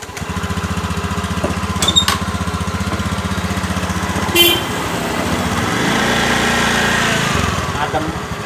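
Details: Honda Beat eSP scooter after replacing worn-out CVT clutch shoes: engine idles steadily then revs smoothly pulling away, no earlier knocking/clunking on takeoff; normal CVT pull-away.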